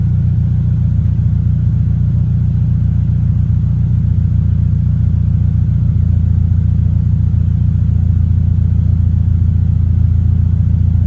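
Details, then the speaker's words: 2023 Toyota GR86 just after installing an aftermarket exhaust (transcribed "NVIDIA 1") in place of OEM. Deep, smooth, even low rumble with no rattle, miss or rasp. Normal, healthy exhaust tone. "I mean, it's like night and day from stock, and yeah, I like the sound of it a lot. I like that real deep tone. I'm not into the raspy stuff,"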